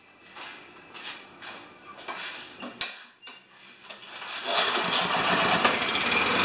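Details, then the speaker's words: Self-propelled Lawn-Boy mower with Kohler engine, after carburetor cleaning, oil change, clean plug and new air filter: a few pulls and sputters, then catches and settles into steady even drone; runs normally after repair. "thank you sounds great all I got left is an oil change"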